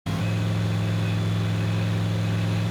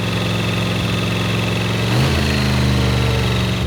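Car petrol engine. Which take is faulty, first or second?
second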